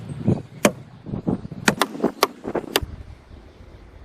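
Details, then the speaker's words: Alfa Romeo 156 1.8 Twin Spark, rear left door, daily driver: sharp clicks and hollow clunks as the door swings open, a clacking ratchet noise from a worn door check strap. "i gotta fix this because it's getting on my nerves and my neighbors aren't so happy when i open that door every morning when i go to work"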